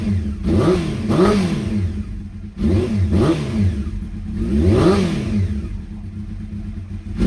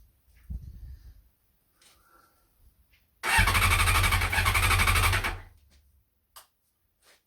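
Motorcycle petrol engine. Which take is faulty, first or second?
second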